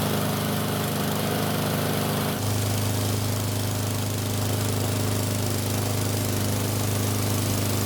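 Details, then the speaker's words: Mower running at full speed on the bench with a rough, uneven shudder from a bent blade unbalancing the deck; the engine starts on one weak pull, and an oil leak shows at the front of the engine. "The shaking of course was still there, but we also got to see that there was an oil leak from the front of the engine."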